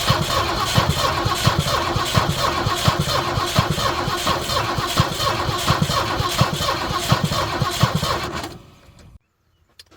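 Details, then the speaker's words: 1971 Ford Ranchero with a 351 Cleveland V8 and an MSD electronic ignition/distributor: the starter cranks with an even chug, about three and a half beats a second, but it never catches. Compression assumed fine from the sound; no spark. "You heard it. Turn, crank, it sounds good, the gallop's good, I'm assuming the compression's fine, just no spark."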